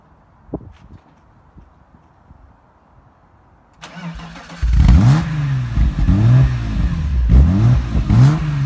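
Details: BMW E36 M3 3.0 with an aftermarket exhaust at startup: a loud, deep exhaust idle that lopes and surges unevenly, a rough idle caused by unbalanced throttle bodies.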